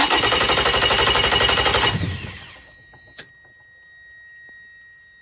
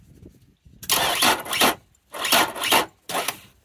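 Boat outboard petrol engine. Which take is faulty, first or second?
second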